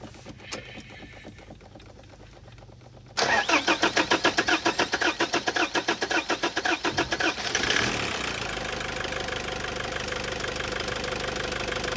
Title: Hard start problem fixed